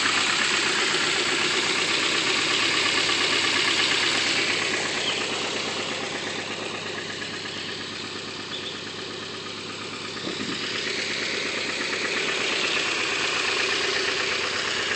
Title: Stock KA w/ Apexi N1 dual tip *rod knock*